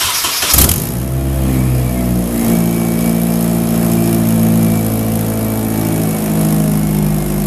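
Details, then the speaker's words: Nissan 240sx S13 KA24 fired up after catch can install: engine cranks and catches, then a loud, deep, steady idle with raw open-exhaust drone, sounds possibly straight-piped; runs smooth and healthy. "Is that straight piped? That's loud."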